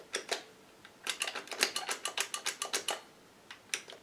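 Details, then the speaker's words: Cheetah Mach 1 vintage joystick, fire button with its microswitch removed and moved to the other side: presses give irregular dull plastic taps without a crisp click, and the button doesn't work. "Hear the difference in sound. There's nothing underneath this, it doesn't work."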